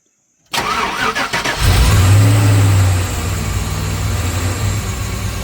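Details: LS V8 truck with a big cam, after the throttle body blade was drilled to add idle air and cure surging and bucking: it cranks, catches and settles into a steady, healthier lumpy idle with no surging or hunting.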